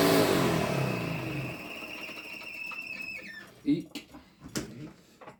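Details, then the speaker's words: 1986 Electrolux Twin Turbo Super Z551 vacuum head winding down. A falling whine turns into a rough, uneven rattle. The brush roll bearing, though greased, sits badly on a slightly melted thread. "it's just the fact that it's not sitting correctly which is why it's um making that horrible noise but at least it works"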